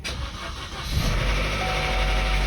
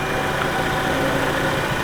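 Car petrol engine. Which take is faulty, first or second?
first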